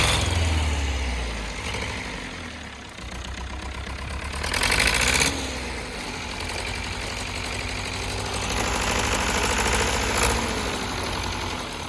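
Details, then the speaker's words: Perkins 4.248 diesel on a test run, oil pressure normal (3 atm idle, 4 atm revved): it idles unevenly with a lumpy, limping beat from one cylinder misfiring; a faulty injector nozzle is suspected, with low compression or the fuel pump also possible. "але є проблемка з двигуном Він працює не чисто А підтроює може бути щонайменша причина це пітроє форсунка розпилювач підлягає заміні"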